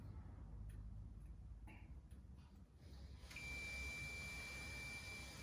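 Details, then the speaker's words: Vokera boiler flow switch test with multimeter on continuity beep, hot tap open and boiler cold supply turned back on: quiet water hiss, then steady high beep holds once flow starts; flow switch closing normally. "And what that's telling us now is this here, this flow switch is working."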